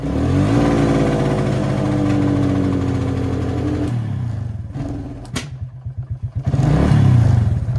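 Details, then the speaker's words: Quad bike, voltage at battery monitored: engine revs cleanly under 14.5 V, then stumbles into uneven sputtering as charging voltage climbs to 16–17 V; faulty rectifier overcharging causes engine to break down and cut out. "But as you'll see in a second, as you go to rev it, as soon as it gets over 14 volts, it'll go to 17 or 19 or anything above 14.5, it breaks down."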